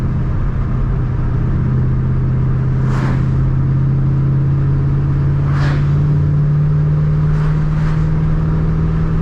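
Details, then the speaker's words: Ford Mustang 3-valve after removing a restrictor, driving: steady low drone climbing in pitch with clean intake whooshes, flowing much more air, sharper throttle, more power; normal running. "I hear the intake yeah it's it's already flowing a lot more air I feel it this thing is not choked out anymore"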